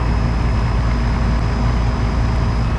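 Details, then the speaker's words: Home AC outdoor unit on the owner's day off, while troubleshooting it for not cooling: an even fan rush plus a steady low drum from the compressor moving the refrigerant, with no knocks or rattles. Normal running. "you hear the fan running but then you also hear that second noise it's that real low kind of drum that is the part that's moving the freon the compressor okay"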